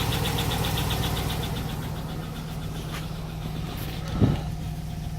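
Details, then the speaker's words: 2002 Cadillac Escalade LS V8, cold start after sitting overnight (73°F), idling: light quick valvetrain tick around cylinders 5 and 7. It began after Seafoam and persists after pushrod/rocker cleaning, engine flush, and oil and filter change. "So as you can hear, there is a little bit of valvetrain noise in the background. It is a cold morning."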